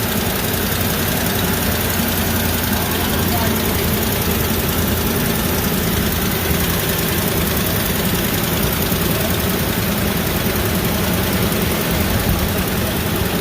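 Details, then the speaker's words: Ford F250 Super Duty 5.4 at idle after a new passenger-side exhaust manifold and broken stud repair: an exhaust leak heard at first quieted down. Now a steady, even rumble with no ticking, during a heat cycle before retorque. "pretty quiet on this side I heard an exhaust leak to start with but it quieted right down"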